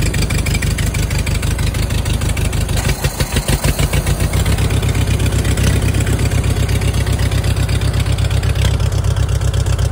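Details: 1940 Farmall H tractor just started on a jump, with fuel flow restored and the battery dead. Loud, low, steady chugging at a slow idle with an even beat and no knocks; healthy idle.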